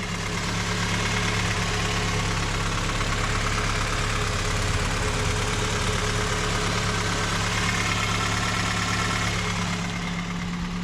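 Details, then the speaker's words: 1991 Toyota Camry running 0W-8 oil, after fitting headers and fixing the idle issue, warm after about 2-3 minutes running, burning about a quart per 400 miles: steady low idle drone with light uniform ticking, no misses or knocks. "that's the sound it's making while running. Just it's probably been running for about 2 or 3 minutes."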